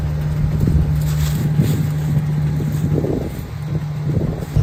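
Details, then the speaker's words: 1993 Ford F-350 crew cab long bed with 460 V8, sitting over 10 years, first start after new fluids, battery and gas (jumped from another vehicle): deep, steady V8 burble, even idle, no smoke, ticking or knocking; normal idle. "Got her going. No smoke or anything."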